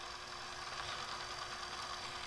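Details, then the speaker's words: Panasonic RQ-2745 cassette recorder after repair, running on batteries: an even, steady rewind whir with a low drone and faint high whine, no slipping or speed wobble, so the tape player works normally. "all right so we have a working tape recorder well tape player we haven't tried the recording part so let's take this tape will rewind it"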